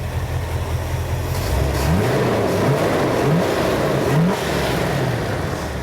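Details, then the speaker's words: 1977 Jeep CJ-7 with 5.9 L 360 V8 from a 1978 Wagoneer, few-years-old Holley 4-barrel carburetor: even idle, then revs cleanly up and back down with no misses, knocks or rattles; smooth and healthy. "That Holley 4-barrel carburetor, we did replace that, so that's a few years old, but the engine is just absolutely running amazing right now. So crank it up and let you hear it. Smooth as silk."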